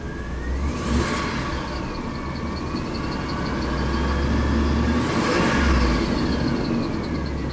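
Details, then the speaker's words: GM Chevy truck after reduced power P1515 throttle performance repair, bad part replaced, no codes: catches cleanly, steady idle, two smooth even throttle blips; normal start and rev. "Looks good. So now we're going to take it for a spin, and I think it should be in good shape."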